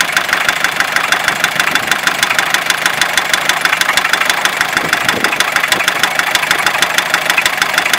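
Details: Fiat Ducato 2.5 TDI diesel at idle: a crisp, regular tick about three times a second over the diesel clatter; an engine knock, cause not yet known.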